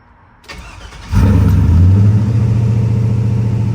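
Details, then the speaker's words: 2000 Silverado Vortec 5.3L LS with Brian Tooley Stage 3 cam and 92mm aftermarket throttle body: cranks, flares and holds a fast steady idle after a first fix attempt; stuck high idle, idle air control valve next suspected. "Not really. It's still revving up pretty high."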